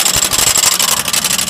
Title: lexus rattling noise help